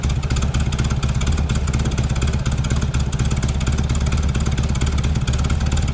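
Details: Green Porsche 914 with a newly installed 2-liter motor: flat-four thrumming at a steady fast idle with even firing pulses and no knocks or misses. Sounds healthy and much improved.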